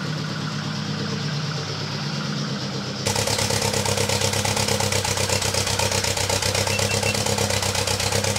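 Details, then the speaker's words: VW Golf 2 GTI with Digifant injection, at start-up before repair; catches and settles into an uneven lumpy beat with a missing pulse, running on three cylinders: misfire, owner suspects the fuel circuit, not confirmed. "elle tourne sur trois pattes là actuellement je l'entends vraiment bien en étant ici après en vidéo c'est pas forcément facile de s'en rendre compte mais elle tombe sur trois"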